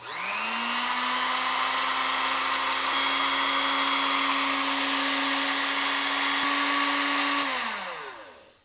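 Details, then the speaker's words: Ilco Model 008 key cutting machine after installing a brand-new motor belt, test run with the guard off. Motor spins up to a steady, even whine and winds down smoothly with no slap or squeal. Normal running. "Looks good, sounds good. We're going to put the shield back on. Sounds and runs smooth."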